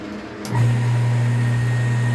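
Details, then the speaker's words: Half-HP peripheral water pump after repair and resealing the O-ring: steady, smooth low hum with an even tone and no rattle, the earlier noise gone. "escuchen la bomba ahora que no tiene ese sonido que le mostré al principio la apago vuelvo y la enciendo esto quiere decir que este trabajo sí funciona"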